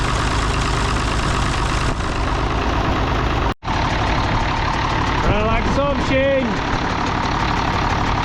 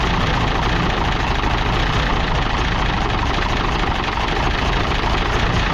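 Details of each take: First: International D282 diesel in a Galion crane with a rebuilt Roosa Master DBG pump, idling cold with an uneven, lumpy chuff and a foop-foop exhaust puffing. It runs poorly until warm, and the owner suspects a burnt valve or cracked valve seat on cylinder 1. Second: International D282 diesel in a Galion crane, running just after first start on a rebuilt Roosa Master DBG injection pump with new plungers. Steady, dense low rumble with no misses or surging; the owner suspects a bad valve on cylinder 1.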